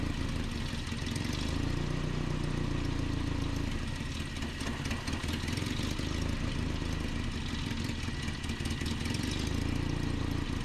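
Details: 1988 Nissan D21 truck, 2.4L Z24 petrol engine, at idle. The speed rises and sags every few seconds, a rough surging idle, with a vacuum line suspected. Cause not confirmed.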